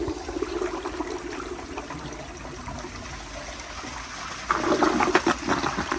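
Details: 1999 Universal Rundle Atlas ADA comfort-height toilet, flushed just before the tank finished refilling while the ballcock hissed. Water rushes steadily, then a short gurgling siphon near the end, suggesting a shallow, weak flush.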